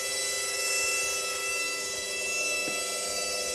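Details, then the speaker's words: Indesit IWDE126 washer dryer motor now spinning where it wasn't before, no error lights; owner suspects worn motor brushes, new set to be ordered. Steady high whine with several fixed tones, no knocking, a bit noisy but even; motor running normally. "Like I said, it is a bit noisy, but it is spinning as it wasn't before, which is a good sign."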